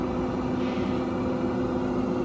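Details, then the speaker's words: New Oklahoma Joe Rider DLX pellet grill, burn-off, set on low: steady even fan hum with low background whir of slow-turning auger, no scraping, squeal or clicking; fan and auger running normally. "Now we pay close attention, our auger is actually working. It's going slowly, and you can hear the fan as well. Looking real good so far."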